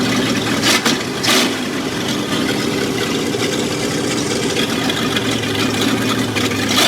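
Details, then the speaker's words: Chopped Ford Econoline, 302 V8 after a four-barrel carburetor swap: steady, even idle with open-header rumble and no misses; the earlier rattle is gone, and the engine sounds healthy and settled. "Even idle. Wow. Wow. No more rattle either."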